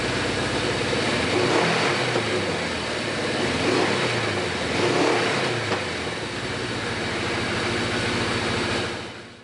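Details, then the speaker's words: Suzuki GS850 that sat outside over 10 years, idling on a little two-stroke mix because its carburetor leaks badly: raspy four-cylinder idle surging unevenly about twice a second, never settling; owner suspects stuck rings in cylinder 3, whose spark plug was rusted. "Sitting here idling, pretty sure that when I pulled those spark plugs out from the first video, number 3 was rusted, and I think the rings in number 3 are stuck."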